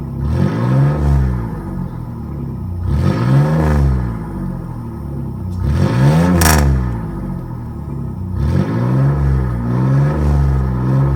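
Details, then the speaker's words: 1997 Chevy Camaro RS, 3.8L 3800 Series II V6, Cherry Bomb Turbo muffler with new turned-down tailpipe: repeated rev blips, the deep throaty note rising and falling cleanly, no rattle or drone; interior drone eliminated. "but I don't think the addition of the tailpipe has done anything for the noise level it may be a little bit quieter add matter I can't tell"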